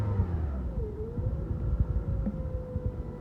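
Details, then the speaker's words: Engine whose owner reported bearing noise and feared failure, battery light and dying, alternator suspected; after weak crank, starts: low even rumble with steady hum, no grinding, whirring or knocking, maintenance light on; normal idle. "hear anything loud it sounds real smooth there's no there's a maintenance required light on"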